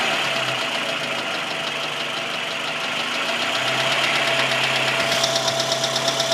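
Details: Quick, even light ticking over a steady engine idle, about three a second; top-end tick of unknown cause.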